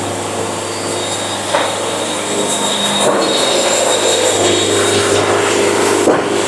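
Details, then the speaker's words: Band sawmill cutting a good board at fast feed: steady low motor hum under even smooth rushing cut holding level; band cutting freely, normal band sawmill cutting. "hear that sound that's the sound of a band having fun"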